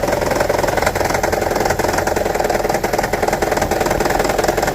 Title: Toyota Prius 1.5 Hybrid 2009: Rattling, Misfire P0304 DTC Troubleshooting